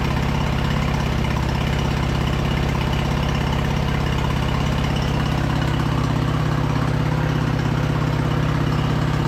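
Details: Early-2000s Craftsman LT2000 lawn tractor V-twin, sat about a year, gravity-fed fuel, choke half on, upper shroud off: steady, even putter just above idle, no misses or knocks; runs well but carb clean still planned.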